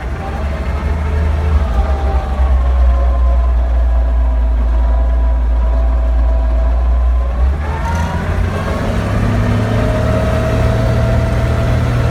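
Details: 1941 Dodge WC12 truck driving: low engine rumble with a thin whine that climbs in pitch as road speed rises. Transmission whine.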